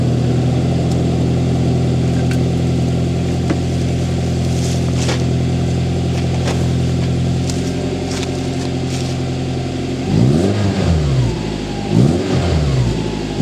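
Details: Toyota Tacoma 2.7L 3RZ cold start after installing a Thrush glasspack in place of the stock muffler: deep smooth low rumble at idle, clean rises on revs, even running, not harsh or loud.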